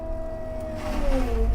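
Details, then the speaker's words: Excavator mulcher head on cold hydraulic fluid: engine drone with whining tone sagging as head loads up; bogging that stops once fluid gets hot, which needs about 30 minutes of pushing it hard. "you hear it doing that it'll quit doing that once that fluid gets hot and it's an annoying sound it doing that's"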